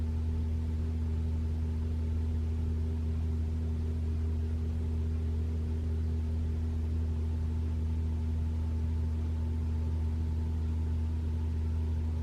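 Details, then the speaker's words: 2021 Toyota RAV4 Prime SE in EV mode while plugged in and charging, HVAC on auto with A/C off, at 41°F, heating: a smooth, constant low heat-pump compressor hum. No knocks, rattles or squeals; normal operation. "all right I can you can hear a humming all right you can hear humming of the uh the um the heat pu"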